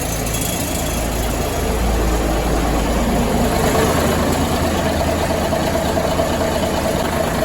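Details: 1973 Ward LaFrance fire truck, Cummins turbo diesel and Allison PowerShift, after coolant leak repairs and a long spell on the charger: heavy, low diesel clatter ticking evenly at steady idle, no knocks or misfires; healthy.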